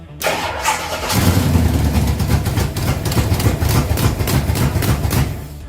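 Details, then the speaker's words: Ford Pinto drag car with a freshly rebuilt Holley carburetor, new plugs: it runs only in uneven bursts while the throttle is pumped and never idles. No idle and stalling, because the chosen throttle-plate gasket blocked the idle circuits. "we weren't getting fuel into the engine at idle which is why it would only run when I would uh essentially pump the accelerator or giving it fuel from the accelerator pump"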